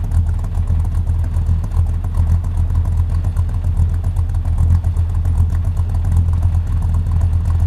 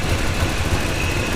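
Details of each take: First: Buick V8 with a small cam idling with the AC compressor loaded, which drops idle about 200 RPM. Deep, uneven, lumpy loping beat. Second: Route 66 Buick idling as it warms up after a coolant refill, at about 160 with the thermostat not yet open. Uneven, puffing low pulse with a faint tick from an exhaust leak, suspected at the downpipe or manifold gasket.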